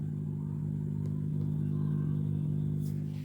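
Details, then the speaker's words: Maharaja 4 FET stereo audio amplifier board with no input signal: steady low hum only on the left channel, speaker held close; fixed by wiring main ground to the input-signal ground. "Left channel மட்டும் அதாவது இந்த side வந்து ஒரு coming sound இருக்கு"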